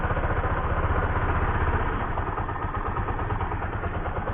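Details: Bajaj Pulsar 135 after fitting a new part to cure its lost ignition; it now starts right away on the electric starter. A fairly even low putter at idle, about three beats a second, with no knocks or rattles. Normal idle.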